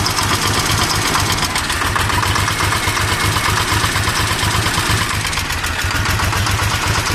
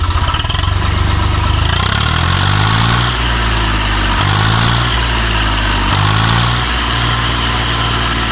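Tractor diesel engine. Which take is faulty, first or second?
first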